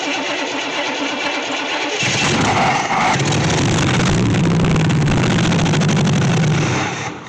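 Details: 1964 Chevy Impala SS Convertible V8, long-sitting project: cranks and catches at two seconds, then runs loud and uneven with a lumpy, stumbling beat; rough running, ignition timing still all over the place.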